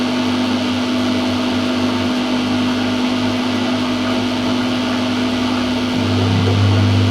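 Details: Whirlpool (Siltal) AWG324 D600 4kg 600-spin 33cm super-slim washing machine, mid-1990s: steady low rumble and droning hum as the drum turns, getting rougher near the end, plus knocking; the drum bearings are gone.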